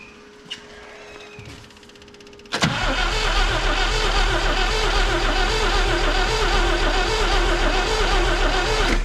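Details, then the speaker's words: 1962 AMC Rambler wagon left for decades, fuel fed from a gas can into the fuel bowl, key on: steady starter churn of about four compressions a second that never catches. No spark. "acts like no spark all right let's take this off for now"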